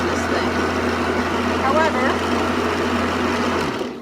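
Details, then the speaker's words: Water-cooled diamond-blade tile saw used to cut dichroic glass: steady low motor hum with water hiss, no knocks or grinding, winding down smoothly at switch-off; noisy but running normally. "I want to turn it on just so you can hear how noisy it is"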